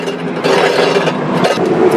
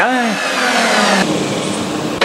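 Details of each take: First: Ridgid table saw motor removed after the saw got noisy and quit; armature turned by hand gives rough, gritty scraping with uneven drag, armature falls out loosely; armature bearing is gone and needs replacing. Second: Ridgid table saw after armature bearing replacement and reassembly: motor winds up fast to a steady high whine with no grinding or rattle, bearings smooth, running normally.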